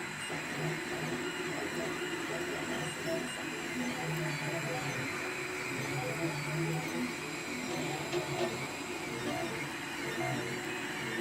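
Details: Monoprice Select Mini 3D printer, one day old, on its third print: rough gritty grinding over motor whine, steady throughout; cause unknown.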